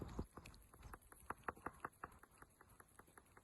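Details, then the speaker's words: Steering rack for an 1100, off the car and shaken by hand: sharp metallic rattle about three knocks a second; the bearing inside is worn, unlike a good rack, which stays silent. "There's the telltale rattle. Where that's actually moving, I'll lay it down again, it's actually moving here. So inside here, you can actually hear that the bearing inside is no longer doing its job."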